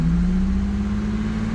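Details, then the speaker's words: Vehicle that had stalled on the roadside, now warmed up after several minutes running; pedal worked to listen for a vacuum leak. Smooth pickup on throttle blips, even tone, no hiss or stumble; normal throttle response, no vacuum leak found. "That's not a vacuum leak or anything. I'm just kind of working the pedal a little bit, see if I hear anything, but so far everything's checking out just fine."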